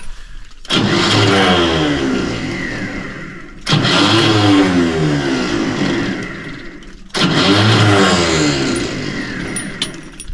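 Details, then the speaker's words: John Deere 450C dozer, old starter before replacement: three short cranking bursts about three seconds apart, each cutting out before the engine catches; Bendix gear not engaging, and when it does it disengages too early. "bendex gear is not engaging and when it does and it turns the Dozer over as it gets ready to start up it disengages too early"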